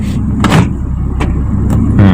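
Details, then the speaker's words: 2001 Hyundai Atoz GLS central locking: the locks clunk in staggered bursts instead of one snap, with the front left door actuator lagging behind the rest; slow central locking actuator. "bunyi deket terakhir enggak kompak bunyinya jadi ayah ada yang kancut kancut lihat ada yang ketinggalan terutama di sebelah kiri depan ini ya"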